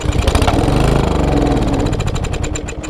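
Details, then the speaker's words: Small engine with ethanol-treated fuel, half a tank, stored since last fall, air cleaner off: fires and runs unevenly a few seconds then fades out. It has spark and air, so fuel is suspected, likely a plugged carburetor jet; cleaning the carburetor is the planned fix. "is it spark no it's sparking and running so that leaves fuel so here we are at fuel again"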